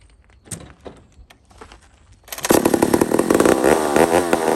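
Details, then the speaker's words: Old McCulloch 1-71 chainsaw after a carburetor upgrade: fires into a high, buzzing rev that hunts up and down, running lean; owner sees a huge vacuum leak at the intake gasket. "very interesting so i've got a huge vacuum leak right here i saw it i actually saw it foobaring me"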